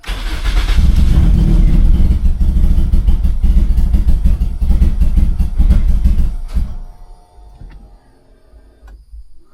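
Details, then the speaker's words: Turbo Toyota Corolla, fuel pump primed several times: long steady cranking, engine tries to catch a couple of times then dies; cranks but won't stay running, no check engine lights, owner suspects little or no fuel. "Alright, you can definitely hear the fuel pump, and it wants to start. There's probably like no fuel at all. So dang, it just doesn't want to stay running."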